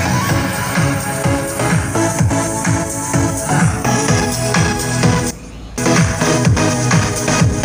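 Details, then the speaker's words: Mini powered speaker after fixing loose rear RCA/jack socket: dance music plays clean, no crackle, buzz or hum; previously hummed, crackled and varied in volume. "seperti itu ya sudah bisa didengar enak ya enggak kemrosok lagi speaker aktifnya sudah bisa berfungsi normal berfungsi kembali bisa nyala normal suaranya bisa jernih"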